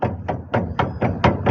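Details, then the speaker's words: Opala front suspension: dry, hollow knocks about four times a second as the control arm is rocked; blown, loose control arm bushing, which knocks dryly over potholes. "Olha o barulho que ela faz aqui na frente do carro. A hora que você pega o buraco, ela dá umas batidas secas, ó."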